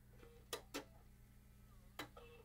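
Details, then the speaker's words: Bose 3-disc CD changer being repaired for a drive issue, just plugged in: three sharp clicks with brief motor whirs as the arms click in and out against a side switch and each drive mechanism raises and lowers, a normal start-up initialization. "what's happening is the the drive mechanism is is going up and down just to initialize each of the drives and then once it's done lights will go off and it'll be ready for me to test the CD"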